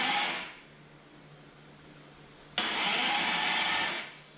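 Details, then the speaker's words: 1973 Dodge Dart with Gen 3 Hemi and a big-block Mopar gear-reduction starter on a custom adapter plate: sharp whir, steady cranking for about 1.5 s, clean stop; cranks normally, no start. "It's cranking."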